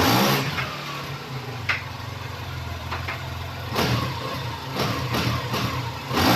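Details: 2021 Honda Scoopy FI scooter after CVT upgrade, test ride: smooth engine hum rising cleanly on throttle, no slipping or clatter; normal acceleration.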